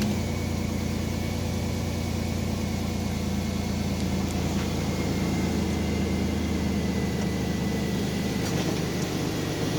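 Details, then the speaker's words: 2001 Chevrolet Blazer 4.3 V6, 165k, after replacing a bad idler pulley: steady, even idle hum with no squeal, chirp or ticking from the belt side; idler noise gone, alternator bearing still suspect. "so no more noise well except for the alternator that's next on the list"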